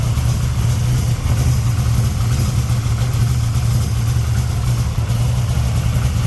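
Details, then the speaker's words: 1964 Dodge Dart gasser V8, first cold start (~40°F) after replacing broken rocker arms, with lash set at a loose 0.017 in cold. A lopey, steady idle with barely any valvetrain clatter is heard. Normal idle. "well as you heard it's uh it's running again so sounds good uh not a lot of rattle"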